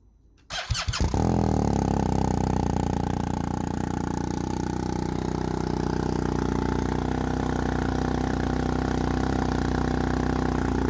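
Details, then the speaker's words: BMW R1250R with SP Engineering silencer, dB killer bodged by squashing its end and adding a washer: bike starts and settles into a rough, uneven, droning idle with a hollow exhaust note; the bodged insert sounded terrible. "i put that combination in the end of the exhaust and unfortunately it sounded terrible"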